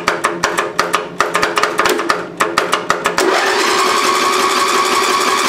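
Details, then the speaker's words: 32-year-old Craftsman lawn tractor, 11 HP Briggs engine, fully charged battery, won't start after bogging out when blades engaged: uneven clicking about three seconds then steady whirring hum; owner suspects failing solenoid, unconfirmed. "when we trying to start it seems like the Sol No Sol noid is going bad"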